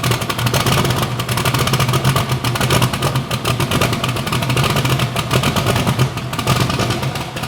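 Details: Bibbster hot rod V8 idling and revving, fire-up after finishing the cooling system. The tune was richened to cure a slight idle surge and now runs fat; the cold-start setup may need changing. Loud, lumpy burble rising and falling with blips, even and miss-free: normal.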